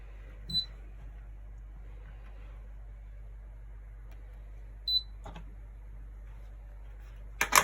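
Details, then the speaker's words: GE AHEK08ACW1 air conditioner, three weeks old: two short high beeps a few seconds apart over a faint hum, then a click as it shuts off at power-up; control board bypass planned. "now you can turn it on and then it kicks off"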